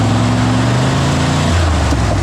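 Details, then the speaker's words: 1963 Chevy Impala wagon V8, long-parked, running on open headers after cherry bomb removed: lazy, flat rev that drops back without crispness; ignition timing too retarded, later set to about 40 degrees total. "Definitely need some more timing."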